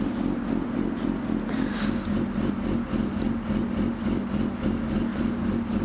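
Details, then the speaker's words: 2005 Suzuki GSX-R600 after the clutch cable adjustment was corrected: it idles smoothly at low revs with a steady, even exhaust pulse and no clutch drag, rattle or clunk when put in gear. "So I'm gonna grab the key, I'm gonna start it up, put it in gear, and then I'm gonna use the clutch to make sure that it's not hanging up or anything, and hopefully we'll be in good shape."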